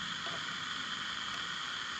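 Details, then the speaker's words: Sony Handy Personal battery table radio after capacitor replacement: steady hiss with faint high whistle and no program audio, louder static; caps were bad but another fault remains, owner suspects a transistor. "So, now the static is much louder. So, the caps were bad, but there's still something else wrong."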